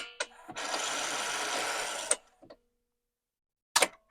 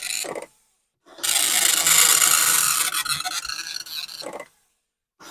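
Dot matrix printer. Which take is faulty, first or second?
first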